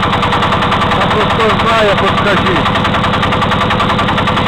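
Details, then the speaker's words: Walk-behind tractor single-cylinder engine after a loosened right-side crankshaft counterweight was retightened: hard, fast, regular knock on every firing stroke over a loud idle; valve clearances normal, nothing rubs, cause unknown. "Такий стук, як заводу. Що воно може бути, я не знаю."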